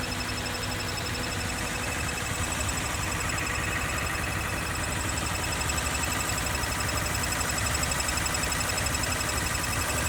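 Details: 2013 Honda CBR250R ABS, six months old, 2500 km, one week after second service and synthetic Honda oil change: at idle a fast, uneven metallic rattle about four per second from engine/gearbox; service center unable to diagnose.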